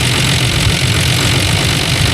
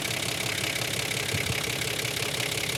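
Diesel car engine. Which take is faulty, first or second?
second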